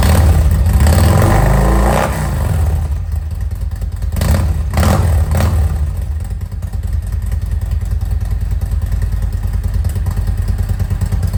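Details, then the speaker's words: 2018 Harley-Davidson Road Glide Special M8, after changing worn spark plugs for NGK iridium plugs: after a brief throttle blip, a steady, even V-twin lope with no misses, knocks or pings; all plugs firing, idle smooth. "I didn't hear any knocks or pings or anything like that. The idle sounds good. It's consistent idle, fired right up."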